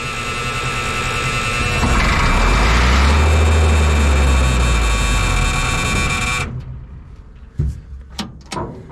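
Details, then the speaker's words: M35A2 military truck 148 after sitting long, cranked without ether, clean fuel and tank: starter churns about four beats a second for six seconds, never catches; no fuel reaching injection pump, owner suspects air in system; no-start. "well that's a little bit of a bummer uh 148 won't start it's not getting fuel I checked the fuel line no fuel even getting to the uh uh injection pump"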